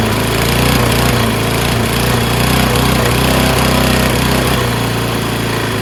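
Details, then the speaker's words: Toro Recycler self-propelled mower, Kohler XT675 6.75 engine, after cleaning a fouled plug and a rusty flywheel brake: steady-speed single-cylinder thump with an uneven, lumpy beat. Owner suspects gas that sat for months; light muffler smoke from oil residue. "Sounds not as smooth as I'm used to, but it's probably due to the ass gas that's been in there for months."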